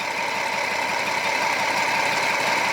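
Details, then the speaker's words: 2007 Jeep Wrangler Rubicon Unlimited, 3.8 V6, code P0302: uneven, lumpy idle with a faint stumble over hiss. Cylinder 2 misfires because its weak coil pack gives barely any spark; a new coil pack cured the miss. "I'd say we have a bad coil because I can barely ever so likely get a spark going it this way"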